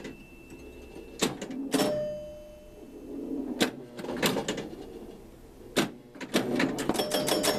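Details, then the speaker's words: Cleaned and adjusted 1975 Williams Pat Hand electromechanical pinball; score of 14,680 matches the lit 80 match light, and amid relay clatter and chimes a single solid clunk sounds: the knocker firing properly for a free game. "And did you hear the little clunk, the little knock? That's because the 80 match light is lit up and the score ended in 80. So I want a free game."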